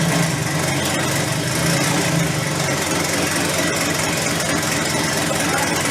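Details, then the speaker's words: Mid-engine V10 in a Volvo 240 project at first startup: loud, uneven, lumpy idle with a stumbling beat, running rough; direct injectors or the fuel pump on bank two are suspected. "it is started but as you could hear it's not running all that good I think it's something with the direct injectors or the fuel pump here on the bank too because that one was not uh running that good"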